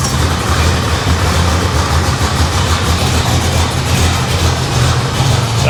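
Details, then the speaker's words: Supercharged engine in a '55 Chevy Nomad with Turbo 350, first fire-up: deep, even rumble at idle, fairly quiet through the mufflers, no misses, knocks or ticking; sounds healthy. "Sounds good. It's actually kind of like quietish through the [Music] mufflers."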